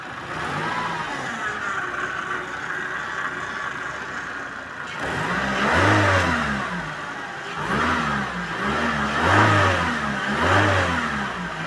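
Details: Suzuki Vitara power steering, with the fluid changed because it was foaming and the strainer found very dirty. It idles steadily, then revs repeatedly with the wheel held at full lock, with no whine or groan from the pump.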